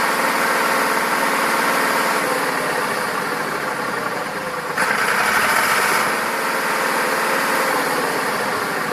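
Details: Massey Ferguson 2645 tractor, Perkins 6-cylinder diesel said rebuilt 100 hours ago, lacking power: steady idle, slightly lumpy exhaust beat about four pulses a second, not quite even; suspected valve not closing properly, low compression, possibly one cylinder.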